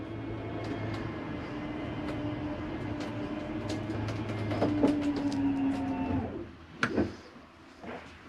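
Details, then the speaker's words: Wildwood 26TBSS travel trailer slide-out retracting with the bathroom and cabinet doors closed: an even motor drone with a light rolling grind for about six seconds, stopping at the end of travel. Normal slide-out operation. "you don't need to slide ripping those doors off so this comes in rather quickly"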